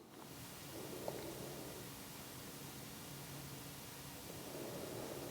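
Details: Rode Wireless Go 2 receiver into a Sony camera through the cable that came with Sony WH-1000XM3 headphones: only soft even hiss and faint handling rustle, no buzzing, clean low noise floor.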